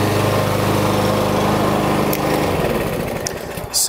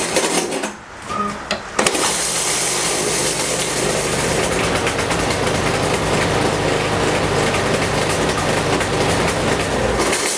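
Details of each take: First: Yardworks lawnmower with a Briggs & Stratton engine, after repair with a replacement blade and bolt: runs smoothly and evenly, then winds down with no knocking or scraping; it had been kicking back with a weird noise; no sheared flywheel key. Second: Yardworks mower with a Briggs and Stratton engine, pull-started: catches and runs roughly with a rattly, uneven buzz, kicks back, and the recoil doesn't catch; the cause is a loose blade.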